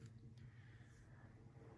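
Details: Restored 1942 Emerson 87641-AL reversible ceiling fan, shaded-pole motor with new GT-6 thrust bearing, run without blades on low at 1.31 A: quiet, steady low hum with no knocks, rubbing or wobble; runs smooth and healthy.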